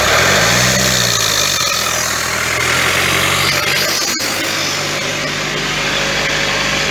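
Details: Ford C-Max 1.6 diesel pulling away lightly: steady whine following road speed from worn gearbox shaft bearings.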